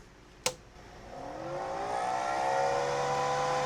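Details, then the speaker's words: Carlsbro Powerline 300 pro audio amplifier before repair: click at switch-on, then loud whirring whine rising as the worn cooling fan spins up, like a jet taking off; fan due for replacement, amp otherwise works. "Yeah, it's like a jet aircraft taking off."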